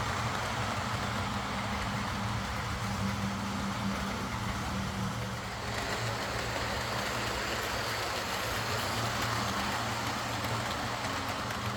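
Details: Lima Class 40 model locomotive (BR green) fitted with a completely replaced motorised chassis after front bogie issues; soft, even motor hum and wheel rumble, steady without stutters, running smoothly: normal running.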